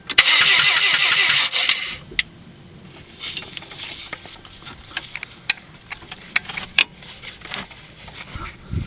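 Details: 1997 Saturn, repeated attempts: brisk cranking for under two seconds that never catches, then silence with a few stray clicks; crank, no start.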